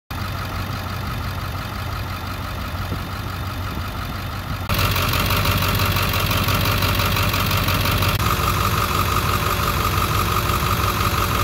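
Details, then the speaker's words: School bus diesel after new battery and priming the fuel system, no white smoke: even idle clatter at a steady rhythm, slightly louder after a few seconds, no misses or knocks; normal idle. "Okay, this here is a look at the bus. I got it running."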